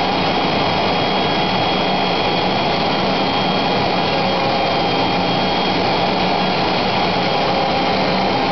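Loud, steady high-speed rushing whine with a rough, gritty edge that never changes; the router is running noisy, cause unclear.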